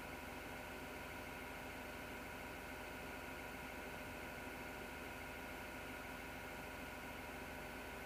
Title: PC Grinding Noise Shut Down 08.03.2019